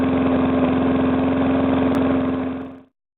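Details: Briggs & Stratton single-cylinder engine, first start after rebuild where rings were rearranged to stop compression leaking past the piston: steady, even putter with no knocking; knock fixed.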